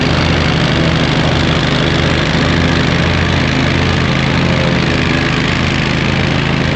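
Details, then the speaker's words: Hustler zero-turn mower with swapped engine, new blades, three new spindles, belt tensioned, mowing grass: deep even beat holding steady while blades cut, no misses or knocks; normal running under load. "Still got to get a seat, but it mows. It's a beast."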